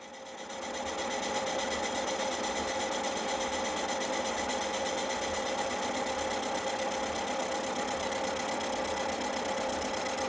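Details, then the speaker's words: Cincinnati horizontal mill taking a light finishing pass facing a cast iron Jaguar 4.2 litre exhaust manifold; smooth, steady cutting tone with an even hiss and no chatter or squeal, cutting cleanly. "I'll shut up and let you listen to it cutting, because it cuts quite nicely."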